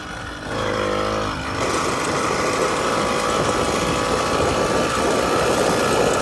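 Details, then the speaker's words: 49cc two-stroke motorized bike engine on a Granite Peak mountain bike, started after fixing a tilted carburetor that blocked fuel: catches and settles into a steady high buzzing drone with no stumbling; running normally. "it takes a couple seconds for it to get running but once it's running apply a little more throttle to ensure that it's working"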